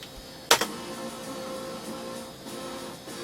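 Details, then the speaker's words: Standard-version AA-PRO AdLib sound card build playing Wolfenstein 3D FM music: sound is thin and hollow, as if voices are missing; faulty output, cause not yet traced. "But that doesn't sound right, does it? It almost sounds like it's missing something, isn't it? I don't think that's how an ADLIB sound card should sound."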